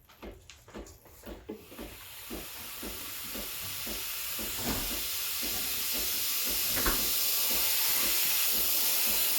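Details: Breville Barista Express BES870, near new (used 20–30 times), steam wand turned on: quick pump pulses, then a rising hiss building to strong, steady steam flow; normal steam wand operation.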